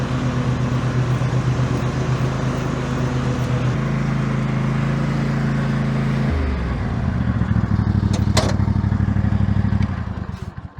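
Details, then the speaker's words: Toro TimeCutter SS5000 zero-turn after replacing noisy deck spindles and blades: deep steady engine drone with a pitch shift, then winding down; no grinding or spindle howl, deck quiet, normal operation. "It's a hell of a lot better than what I had before. Cut perfect. That deck is so much quieter than before."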